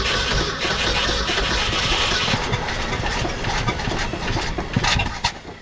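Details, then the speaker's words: 1966 Ford F-250 factory 4x4, sat 17 years, cold snowy day, carburetor not rebuilt, fuel poured in: starter turns over sluggishly and drags more as it goes; slow cranking, owner suspects low amps. "uhoh starter is getting slow and draggy let's give her a little more amps"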